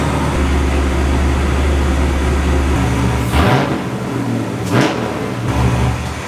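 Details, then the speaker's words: LS1 V8-swapped 25-year-old BMW E36 M3 (450hp, T56 gearbox) idling normally after a new exhaust gasket: deep, steady rumble with a couple of quick throttle blips, no misfire or exhaust tick. "Everything seems good there, so I'm going to try to wire up the reverse lights."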